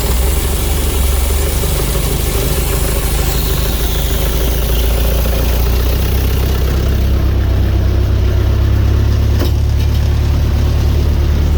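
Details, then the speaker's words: Carrier/Thermo King reefer unit diesel after running out of fuel, refuelling and priming: catches and settles into a steady, even low rumble with no misses or stumbles; running smooth. "the unit's running it's smoothing out let's check it out those two are humming"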